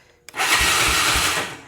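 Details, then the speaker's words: 2004 Honda Recon 250 ES quad, starter solenoid jumped directly because the handlebar switch is faulty: short burst of fast, even starter whir with steady low pulses, no binding or clunk; the engine turns over freely, not seized. "It turns over. It's free. At least we know that."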